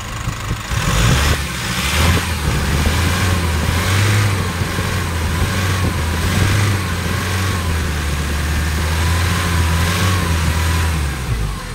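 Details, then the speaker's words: Nissan NV350 diesel after replacing a fuel injector and all injector washers to cure knocking and heavy vibration: smooth revving with steady low rumble, no knock; problem solved, no check engine light. "wala na siya mga boss alr so na-solve na natin yung problema ng NV350"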